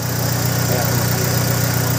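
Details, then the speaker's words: 2002 Honda Civic idling after a valve clearance adjustment: steady, even low hum with no ticking or clicking; valvetrain now quiet and healthy. "wala na siyang clicking sound o parang lumalag tik kailangan na guys"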